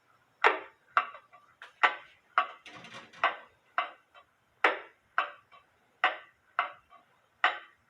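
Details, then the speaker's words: Eli Terry wooden groaner clock after moving the pendulum leader wire closer to the case, beat amplifier attached to the wood: crisp ticks about every half second, slightly uneven but steady; now running in beat, close to right. "As you can see, the pendulum leader wire is bouncing off the crutch."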